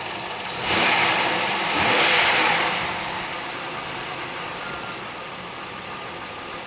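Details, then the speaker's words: 2001 Pontiac Aztek GT warming up at idle: rough running with occasional exhaust puffs, not quite a misfire, and a soft steady hiss from the engine bay; source of the hiss not identified. "get warm up quieting down and hear the little hiss coming from this"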